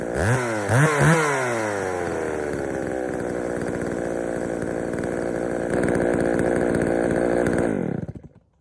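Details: Poulan 3000 chainsaw, brought in not running, serviced with old dirty fuel drained and fresh fuel added; a few blips then steady two-stroke buzz, slightly burbly and uneven at low speed, running a little rich, needing low-speed adjustment.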